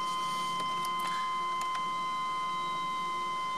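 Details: 1997 Chevrolet Astro after replacing a cheap eBay fuel pump whose hose separated from the pump head: quiet steady high-pitched hum holding one pitch, engine off; normal fuel pump prime.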